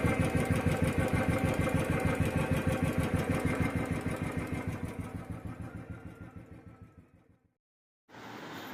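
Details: Royal Enfield single-cylinder engine: even rapid ticking, roughly three beats a second, over the thump, fading as the engine winds down to a stop; tappet noise suspected, not confirmed.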